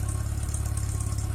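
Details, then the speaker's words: Homemade tractor converted from ZiD-4.5 to VAZ-2109 engine, in neutral: steady low idle rumble, hydraulic pump drone largely gone after routing the return line into the hydraulic tank; slight pump sound remains, phone mic under-represents it. "Ну, немножко слышно, но такого уже нету гула, как было."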